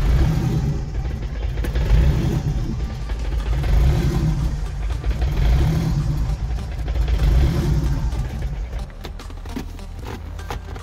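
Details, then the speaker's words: E85 car with 4-inch throttle body on Tuner Studio standalone ECU, chilly cold start without throttle: catches, then surges and sags unevenly, almost dying each time; priming and cranking pulse seem fine, one of the later enrichment maps likely off. "so it sounded like to me that the car was starting all right when I turned the key so the prom impulse was probably okay cranking pulse is probably okay but a little bit further down the line as we stack those books on top of each other and the average all out in the one book one of those books was off"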